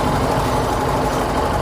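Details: TVS XL100 BS6 moped after fuel pump repair for starting trouble and stalling after a short ride: small single-cylinder engine at steady idle, even putter, no misses or stalling; running normally.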